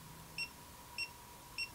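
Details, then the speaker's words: Hioki DT4256 multimeter in diode test on a bridge rectifier; three short high beeps about 0.6 seconds apart as it reads two diodes correctly and shows the value. Normal diode test beep. "So, pretty neat. It has kind of a beep beep, and it gives you the value."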